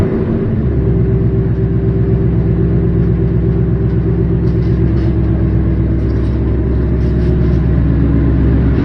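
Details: Car with a new engine, after its first oil change and checked with a mic for a new knock; even, steady low rumble at idle with no tapping or knocking on top; normal idle.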